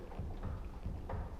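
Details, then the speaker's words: Volvo XC90 front anti-roll bar rocked by hand in cool weather: dull low knocks about three per second. The end links were replaced, so the knock is from worn stabilizer bushings, which can't be bought separately; the whole bar must be replaced. "Но можем показать вам, как стучит стабилизатор. Здесь точно стучит не стойки здесь не стучат, они менялись, а именно сами втулки."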